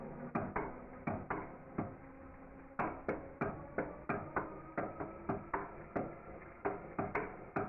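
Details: Engine turned slowly by hand with the connecting rod fitted but no piston: slow, uneven, sharp metallic knocks, a couple each second, once per revolution; rod knock suspected, not confirmed.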